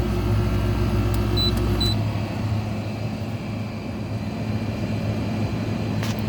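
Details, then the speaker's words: Air conditioner on R22 (7.2 oz), weak cooling and worn-sounding compressor, switched to fan only: steady low hum with a rough droning rumble mostly from the fan; fan motor bearings going out. "See what I mean? Most of that sound is coming from the fan. Because this one's bearings are also going out."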